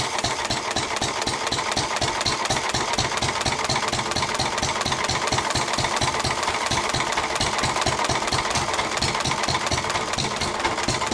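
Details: 1923 3.5 hp Emu (rebadged Hercules) engine, idle 20+ years, after oiling the sticking magneto and exhaust-valve mechanism: crisp, regular firing beats with light clatter, steady and no misfires; it runs pretty well.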